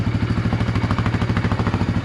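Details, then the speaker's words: 1999 Suzuki DR350SE, just fired up on a new AGM battery: an even single-cylinder thump of about nine beats a second, steady with no misses or knocks; healthy cold idle while warming, charging at 13.3–13.4 V. "All right, she fired up."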